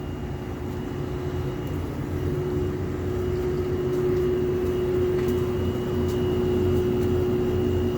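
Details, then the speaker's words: Lloyd air conditioner under warranty, unresolved after two service visits, heard from a room with the outdoor unit outside: a constant piercing tonal hum like a train horn holds steady over the unit's rush; source unknown. "आप सबको सुनाई दे रही है इसी की आवाज़? जैसे train का हॉर्न होता है वैसी आवाज़।"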